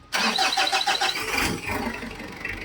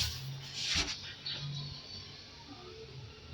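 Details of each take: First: Mitsubishi Adventure diesel, overdue oil change and misfiring, cranks with fast starter after fuel filter priming, catches unevenly and idles rough, faltering; air trapped in injection pump or lines, pump slow to firm up, to be bled at injectors. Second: Mitsubishi Adventure diesel with noisy engine, long-overdue oil change and a misfire: quiet, then it catches immediately at about six seconds and settles into a loud steady clatter; clean, quick start.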